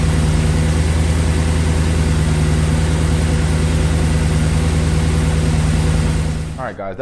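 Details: 2008 Audi S5 4.2 V8 with JHM race pipes and tune, after fresh spark plugs, ignition coils and MAF cleaning, camera in front of engine: steady, even idle with smooth regular beat, no misses or knocks, then shutdown; normal healthy idle.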